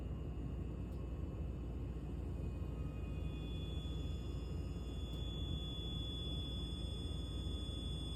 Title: @RogerWakefield water heater is making this sound? Sounds like an airplane when it’s turning off